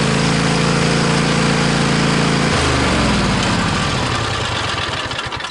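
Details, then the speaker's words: Cub Cadet XT1 46-inch riding mower, voltage-drop test between battery positive and starter: a laboured, slow churning crank at about four beats a second before it catches; about 2 V drop in the starter cable, with connections crusty, to be tightened or replaced. "Yeah, if you seen that, I had about two volts. Two volt voltage drop. That's not good."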